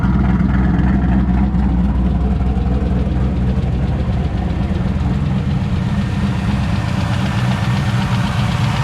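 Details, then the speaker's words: Replacement LS V8 for a turbo Trans Am idling with a quick light lifter tick, about four a second, over the rumble; the tick was also heard in the previous engine despite changing lifters, and the lifters will be warrantied. "So as you can probably hear, still got a lifter tick. Which I actually heard in the last engine, but I changed them."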